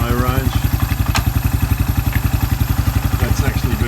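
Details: Suzuki Quad Runner 250 mid-restoration, exhaust refitted back to spec and new TC crank oil seal, driven in low range and reverse: even thump about 220 a minute, steady and regular, no grinding or clunks through the gears; transmission normal.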